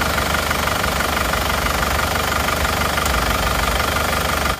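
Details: Isuzu Panther diesel before rebuild, smoke from the oil filler cap, weak on hills: rough, clattery idle with an uneven knock about three times a second; mechanic judges compression leakage from worn piston rings or liners.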